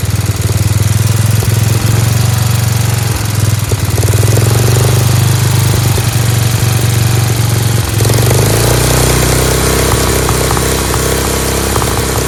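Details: Dayton lawn tractor's 11 hp Briggs single-cylinder, started on its own with choke, runs loud and steady with no misses or knocks; idles smoothly but a touch fast with a spring disconnected; sounds like a hot rod.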